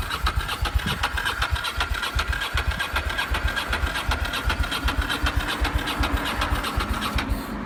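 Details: Ducati Monster cranking: starter churns with even compression pulses about 158 a minute for several seconds but never fires; cranks but won't start.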